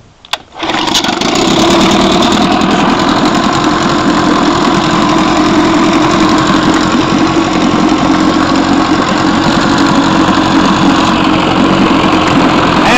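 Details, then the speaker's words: 1955 Johnson Seahorse 10 outboard, cold start at 33°F with choke, throttle at middle speed: catches after a brief pull and settles into a steady, even two-stroke buzz with no misses or knocks; runs normally cold. "i came out there this morning started and it was 33 degrees when i left the house this morning so this thing was cold okay uh which didn't seem bothered"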